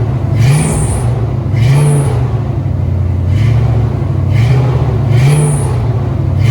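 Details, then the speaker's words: 1970 Ford Maverick with EFI-swapped stock 5.0 L V8 and new Flow Monster mufflers, no headers: deep rumble with short high squeals on blips from a loose, slipping accessory belt; fix planned with a stud and nut to tighten it. "okay so in that in in that video um I know you hurt the Mufflers but you also hurt the belt squill"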